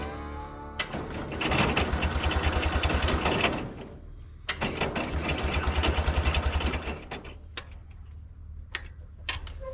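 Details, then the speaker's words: International Cub Lowboy 154 after coil, points and condenser replacement: starter churns about three and a half beats a second in two long bursts with no firing; no spark because distributor rotor was left out. "Okay guys, don't make fun of me, but I forgot to put the rotor in."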